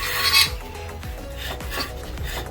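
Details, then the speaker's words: Fiat Barchetta brakes, car unused for a year or more with old worn discs before Brembo discs and pads were fitted: dry, rasping metal scrape in repeated strokes as the brake dust shield (backing plate) rubs the back of the disc. "ruído que podemos ouvir é a placa de apoio arranhando a parte de trás do disco."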